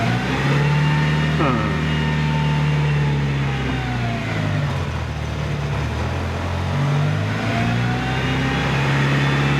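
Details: Rebuilt Mitsubishi EVO in a cold garage, about six degrees: idle hunts and sits around 2000 rpm, pitch swelling and sagging every few seconds; air leaks found at the inlet manifold.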